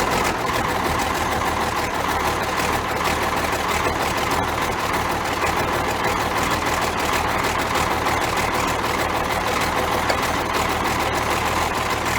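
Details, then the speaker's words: Ford 9600 diesel tractor, cold start at 34°F with a little ether after a filter change and injector pump bleed; some black smoke. Deep, steady idle with regular clatter and even beat, no misses or hunting; healthy normal idle. "Man, I do like that 9600, just listen to that sound. You can hear Dad coming a mile away."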